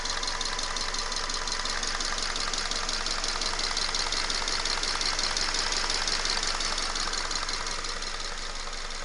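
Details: 2011 Subaru Forester FB25 with 126,000 km on 0W-20 oil, using 1–2 L per 5,000 km: fast, light tapping at warm idle only, about two per second. Owner attributes it to camshaft wear, not a piston.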